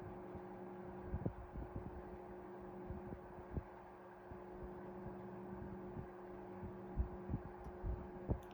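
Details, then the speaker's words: 1973 Frigid (Mitsubishi) 16-inch oscillating fan GT16-S, freshly cleaned and oiled, low speed, oscillation off: quiet steady hum, faint clicks, no rubbing or bearing growl; normal running, 750–770 ft/min airflow. "It's fairly quiet. It does move a lot of air though."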